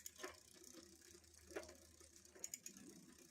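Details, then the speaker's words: Bicycle with Microshift grip shifter after gear cable change, shown with cable adjusted too tight via barrel adjuster: faint irregular clicky clacking over freewheel ratcheting; rear derailleur clicking from overtightened shift cable. "there. You can hear it making more of a clicky clackety sound."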